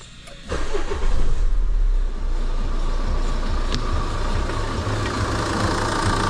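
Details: Renault Scenic 1.9 dCi F9Q diesel after turbo replacement for whine and oil consumption: cranks, catches within a second, then settles into an even idle with no whistle or knock; running healthy.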